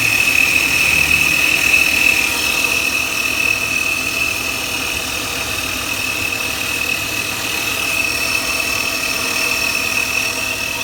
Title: Плавают обороты и свист дросселя